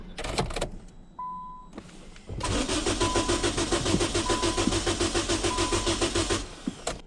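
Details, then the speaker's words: Car that won't start after tune-up, on a super capacitor jump starter: short beep, then steady cranking about 3.5 turns a second for four seconds, never firing; fuel pump heard running, spark plugs found closed to zero gap. "we hooked the jump starter up to it and it didn't start and so i'm like man that's weird"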